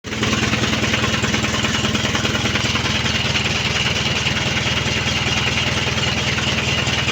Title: Mitsubishi canter 4D33 engine crank but no start